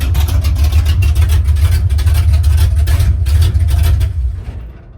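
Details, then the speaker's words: "53" V8 (Trash Can) during rebuild, idling after fixing a funky sound (bolts/washers on vibrating collectors, starter clocked as it seemed to stay engaged): lumpy deep steady rumble, no rattle, then shuts off; healthy. "No more funky sounds. I don't know if it was. I put bolts and washers on the collectors. I think they were just vibrating around"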